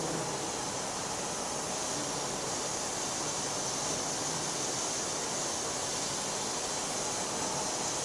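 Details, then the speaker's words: Presto pressure cooker at working pressure, above 80 kPa: constant strong hiss of escaping steam with no sputter, showing the safety valve is venting properly; normal steam release. "Oh ya desisan terdengar makin kuat tenang aja saya akan Tunjukkan ke kawan-kawan sekuat Apa itu sisanya ketika dia maksimum ya tenang aja kalau udah mendesis gini artinya klep pengaman kita ini bekerja dengan baik"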